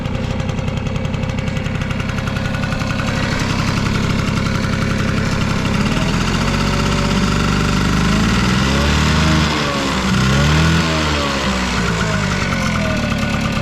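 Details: Vintage Honda Squash AB11 scooter, 12V electric start: even steady idle putter with a few quick throttle blips rising and falling cleanly; no knocks or rattles, quiet healthy engine.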